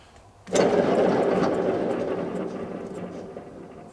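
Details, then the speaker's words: Simplicity Regent lawn mower deck with PTO engaged, unreplaced side: rough, gritty whirring fading as the spindle coasts down; a failing spindle bearing, possibly also shield rubbing on dirt. "now all that may not be the bearings some of it may be like the shield rubbing on dirt but i did find a bearing that was failing over here"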